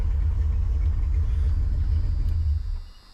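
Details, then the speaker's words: 1984 Mustang GT350 V8: lumpy, uneven idle with a stumbling beat before shutoff; rough running and backfiring traced to one crossed spark plug wire; new plugs and wires planned. "But anyway, I ran this car the other night and it sounded good, except for the fact that it just seemed a little rough and it wanted to backfire. Well, that's because I had one of the wires crossed."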